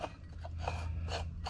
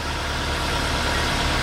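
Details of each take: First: Worn water pump bearing on a 2012 VW Jetta, pump leaking: dry, scratchy rasping in bursts about three times a second as the pump is turned. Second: 2012 VW Jetta after water pump replacement, engine warning light on: steady, even, smooth idle hum with no knocks or misses; no coolant leak found, belts and pulleys working well, normal idle.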